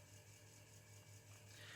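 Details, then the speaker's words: Commodore 1541 MKII floppy drive on C64 with new power supply, loading Robocod after a few tries: quiet steady hum of spinning drive motor with faint buzz while loading; normal floppy drive operation. "oh there you go loading Robo Cod and the drive is working they want a bad guess in the end after a few tries you can hear the drive spinning and buzzing I"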